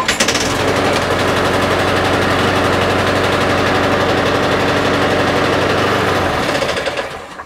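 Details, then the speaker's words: Lawn mower (Mazport deck, Briggs & Stratton Quantum engine) after fixing a no-spark/no-start fault by adjusting the right-hand control cable; it fires at once, runs steady and even for several seconds, then shuts off cleanly. Normal running after repair. "So there you go. So it will now start and stop every single time you ask it to, over on the right hand side, which is where the problem was."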